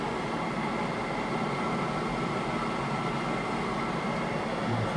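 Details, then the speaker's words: Lathe motor after rewiring for electronic leadscrew project, cooling fan behind motor blowing across it: steady, even motor hum under constant fan rush, no knocks or rubbing; runs normally. "so a lot of that noise you can use there's a fan of the mains pad found behind this motor and it's blowing the cool air across it"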